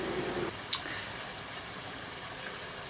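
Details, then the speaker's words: JP Heaters 2kW Chinese diesel air heater installed in a bus, just switched off: a click, then a steady soft fan whoosh with no pump ticking as it winds down; normal shutdown cooldown. "you can probably hear in the background the pump slowly powering down the heat is slowly powering"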